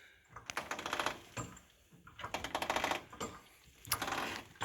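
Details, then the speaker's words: 2014 Can-Am Maverick rear suspension pushed through its travel: a dry, crackling creak in bursts, caused by dried-up rubbers in the shock's internal swivel. "h shock and there's a little swivel inside the shock well the rubbers dry up and that's the noise you'll get i'm gonna jack it up and you might be able to hear the noise and see if yours does this you hear this creaking noise going up and down the trail and is very annoying or at least it is to me"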